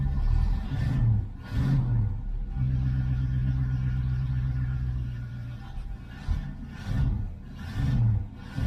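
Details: 1970 Ford Mustang Mach 1 V8 on its second start after long storage, running on a temporary tank with fresh gas. A low rumble surging unevenly between blips and a sagging idle; the owner expects the roughness to clear soon.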